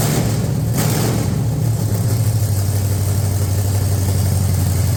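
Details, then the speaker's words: 440 V8 from a Plymouth Road Runner project running on an engine stand; deep loping idle with steady rumble and uneven cam chop, no knocks or ticks, cam lobes apparently not flattened. "it runs pretty well so I don't think it flattened it out I think we did it's got a rump it does have a rump"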